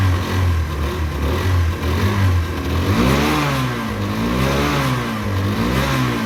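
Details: Derbi 125, a former non-runner, after a quick carb service and fuel tank clean: it catches cleanly, then revs rise and fall smoothly with a steady, even beat and no misfires; it runs healthy.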